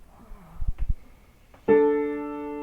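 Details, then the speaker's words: Piano being tuned by ear after setting A440, midrange; a few soft knocks then B3 (B4 European) rings with sour wavering decay, sounding badly out of tune before tuning. "oh there we go there's one that sounds pretty bad already that's our that's our B that's our B3 right there"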